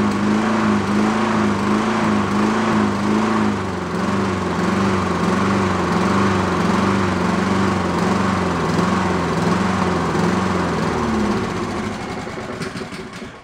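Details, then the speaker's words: Used Honda mower engine after fitting a slightly larger jet: steady rhythmic surging that never settles, then dies, because the carburettor idle circuit is still clogged. The jet barely helps. It runs decently enough on partial choke to cut grass. "as you can see I can't get rid of the uh oscillation in it without that idle circuit but there is a point where you run it partial choke uh it will it'll run um uh decent enough to and cut grass"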